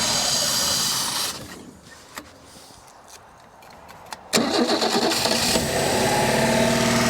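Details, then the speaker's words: Holden Commodore not run in over 15 years, first start with a Holley carburettor fitted and float bowl filled: runs steadily, fades and dies over a second or two, then cranks and catches again; ran out of fuel. Stall from fuel starvation. "[Music] and she's out of fuel"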